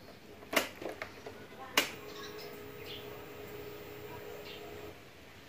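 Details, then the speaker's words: Ignition-on check on a fuel-injected vehicle after fitting a new battery: a click, then a faint steady fuel pump hum for about three seconds before stopping, normal priming showing it is ready to run. "of you pump atau pompa bensin sudah mulai bekerja pertanda dia siap dioperasikan"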